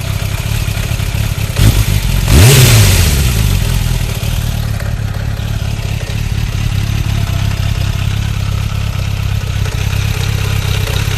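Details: 2004 Suzuki 600 Bandit at standstill, 100 km after oil change and exhaust manifold repair: slightly uneven idle with a light clatter under the exhaust note and one throttle blip; odd noise, cause unknown.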